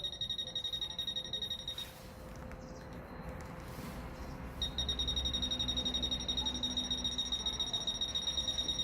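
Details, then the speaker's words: Fisher F-Pulse Air pinpointer in an air test: fast, even high beeping, a short gap, then a solid run of beeps with the tip right on the target; the top (10th) rate, a continuous tone at the impact point. "là il s'emballe 10e assez de points d'impact voilà le point d'impact qui est vraiment à côté"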